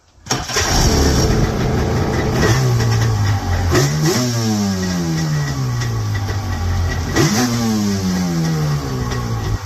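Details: 1995 Yamaha Wave Venture two-stroke jet ski revived after years sitting, carbs rebuilt, fuel lines replaced, oil injection blocked off, main jets turned in about a quarter turn for Florida sea level to cure a bad bog; fires quickly, idles, blips up and falls back cleanly twice without stumbling.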